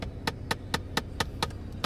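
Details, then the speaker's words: 2012 Chevy Equinox, 9 years old: sharp, evenly spaced clicks, about four a second, from behind the dash caused by a failing blend door actuator. "my blend door actuator breaks this is all happening at once okay that that's the most annoying thing i've ever heard"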